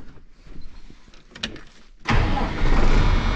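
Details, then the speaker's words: 5.9 Cummins diesel after P pump to VE pump swap, sat 15 years, quiet cranking then fires at once into strong steady idle after earlier rough running cleared up; possibly smokes less than before, healthy quick start. "I mean, that sucker just lights off just like nothing."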